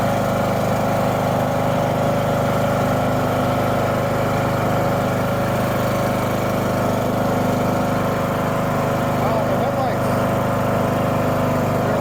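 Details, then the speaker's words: Husqvarna LTH 18538 riding mower after steering overhaul and deck patch: single-cylinder engine fires right up and settles into a steady, even run with no knocks or misses; normal running, clutch and blades work fine. "There she is. Steering works just fine. Blades work just fine. Clutch engages, disengages. Not a thing wrong with it."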